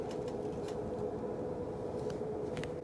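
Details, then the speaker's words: Air conditioning with a room vent half open: thin steady whistle of constant pitch under rushing airflow, which stops when the vent is closed; air whistling past the half-closed vent. "you could hear right now it's halfway open and you can hear it whistling but when it's closed you don't hear it whistling"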